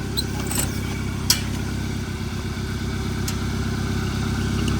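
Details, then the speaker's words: 2014 Hyundai Accent, 217,000 miles, first run after seized-engine repair, check engine light on: low uneven lumpy idle about three pulses a second with stumbles; rough running. "it's running a little rough that's because [Music] um yeah it's running a little rough but we will get there"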